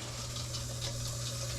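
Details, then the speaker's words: Dishwasher after repair, water supply just turned back back on: steady low hum with even rush of water, no hammering or sputter; filling normally, no leaks at valve. "I do got to turn the water on help that would help there it goes now I hear it I was like wait a minute I'm not hearing water now I hear"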